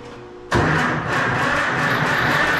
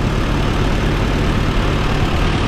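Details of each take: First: 68-year-old auction tractor that sat for years, with starting fluid and a charger on the battery: uneven lumpy churning crank that never catches. Owner suspects a couple of cylinders lack compression, possibly from a stuck valve, and plans a compression test. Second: 68-year-old tractor that sat for years, with a stuck valve and antifreeze found in the oil, after running for about half an hour: a loud, even low rumble with no knock or tick. The valve cover gasket appears to be leaking.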